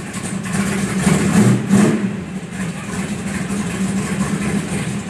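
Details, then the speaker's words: 1970 Dodge Coronet R/T convertible, 440 Six Pack V8: deep, even loping idle rumble with one brief blip of revs, no knocks or misses, good oil pressure; normal idle. "This is what it sounds like when it's running."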